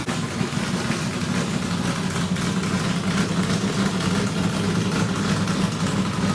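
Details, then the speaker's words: Richard Petty race car, Pontiac-headed small block Chevrolet V8 with new fuel system, first run in years after priming: strong, even lumpy burble holding steady with no knocks or misses; good oil pressure, running normally. "well that's the first time this thing has run in a long time"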